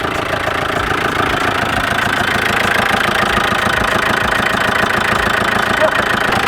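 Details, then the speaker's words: Audi 80, idle right after first start: steady rapid knocking, about three a second; owner says it feels like the clutch is stuck and the noise stops when the clutch is pressed, happening since purchase; feared seized engine, cause unconfirmed. "it feels like the clutch is stuck and it's doing this sound and when you press the clutch, uh, it goes away suddenly."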